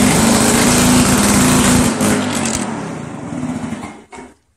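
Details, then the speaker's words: 1991 Lawn Boy L21ZPN two-stroke mower, before muffler replacement: loud, raspy buzz at steady high speed that then fades and stops; much noisier than it should be, owner points to the exhaust gasket. "Okay, so you heard how noisy it is. You saw that it runs though."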